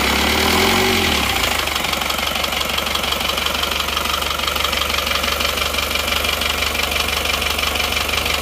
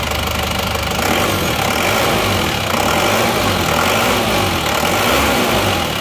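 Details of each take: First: Diesel Panther engine after liner and piston-ring replacement, fitted with counterfeit "made in Japan" pistons: harsh, clattery idle with a hard rattle about three per second; genuine pistons later ran smooth. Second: Isuzu Panther diesel after refitting genuine pistons in place of imitation ones: even clatter with steady rhythm, no heavy knock or slap, far smoother than before; normal idle.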